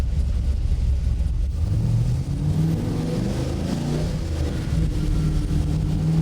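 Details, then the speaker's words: Stroked LS V8 in a Chevy C1500 pro touring truck, full-throttle dyno pull on 93 octane pump gas: deep, even roar climbing cleanly under full load with no misses or knocks; smooth as glass, healthy. "that's full net wheel horsepower and that's still i mean that's nice oh this thing's uh this thing's smooth as glass"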